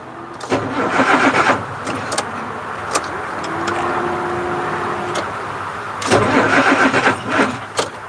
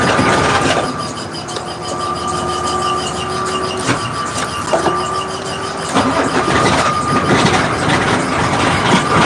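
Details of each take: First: 1986 Ford CF7000 5-ton rollback, Brazil Ford 6.6 L diesel, warm: short bursts of sluggish, dragging cranking that die away without catching; slow cranking, owner thinks the batteries (around 2017) are shorting or old. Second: 1986 Ford CF7000 5-ton rollback, Brazil Ford 6.6 L diesel, battery switch on after trouble starting: starter grinds briefly, engine catches and settles into a steady run on the jump; normal crank and start.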